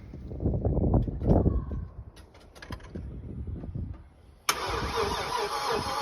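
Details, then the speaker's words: Chevy C10 swapped with a 4.8 LS from an '03 truck, first start after the swap: starter cranks a few seconds, then the V8 fires at once and settles into a strong, even idle with no misses; no trouble starting, normal start and idle. "Got this thing running. Sounds pretty good. Didn't really have a whole lot of issue getting it started, so I'm gonna splice in a video of when I started it, and then I'm gonna cut back in."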